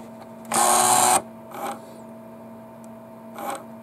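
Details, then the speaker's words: Sony PlayStation optical pickup, very loud when loading, before repair: harsh half-second grinding burst as the laser sled moves, over a low steady hum, blamed on the factory rail grease; the fix is to strip, clean and regrease. "it was more of a grind noise to it you could actually hear it grinding so yeah I'm gonna have to strip this laser"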